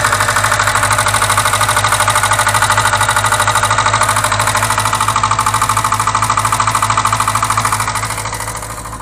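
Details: VAZ 2107 engine at idle: sharp, even valve-train tapping about three times a second, dying away at shutoff; persists after valve adjustment, owner suspects worn rocker arms, to be replaced along with valve stem seals.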